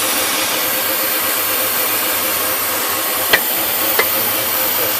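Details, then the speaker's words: 2004 BMW E46 325xi idling after DISA valve replaced: loud steady hiss with occasional sharp pops and crackle, stuttering uneven idle; codes P0171, P0174, P0300-P0306, suspected intake vacuum leak, CCV doubted, problem ongoing about 10,000 miles. "and cracking again um I don't think it's my CCV there's no smoke coming out it's just horrible idling right now so I'm gonna turn that off okay"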